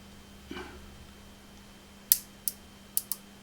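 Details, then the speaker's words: Marshall JTM100 Super PA amplifier, sharp irregular ticks over faint hum increasing as supply voltage is raised; high-voltage arcing inside the smoothing electrolytic capacitor, suspected going short circuit. "yeah so i think that this capacitor here is going short circuit it's going it's arcing across the sound is coming from this kind of area"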